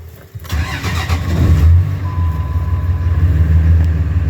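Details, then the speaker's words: 2004 Ram diesel truck, 251,000 miles, worn throwout bearing: brief crank, catches fast and settles into a steady, even idle with a deep exhaust rumble; healthy start and idle. "And it does have a worn throwout bearing as well, but idle's good and everything. I'll let you guys hear that exhaust."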